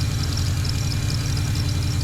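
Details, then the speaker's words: Junkyard 5.3 LS V8 in a 35th Anniversary Camaro, with headers and boiler mufflers, new clutch: steady even idle, deep low rumble with light mechanical chatter, no stumbles, sounds weak like a sewing machine; normal idle, water pump gasket leaking. "all right guys so i got it running it sound weak sound like a loud old radio sewing machine"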